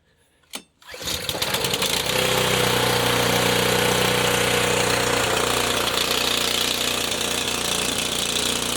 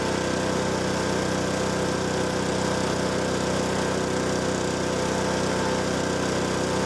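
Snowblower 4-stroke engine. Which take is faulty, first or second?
first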